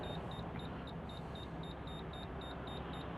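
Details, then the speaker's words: Toyota Mark II JZX110 while driving: Defi oil pressure gauge alarm, steady high beeps about four a second over road and engine noise; owner suspects a bad sensor, later replaced. "Oil pressure gauge is beeping. I don't know if you can hear that. It's gone now."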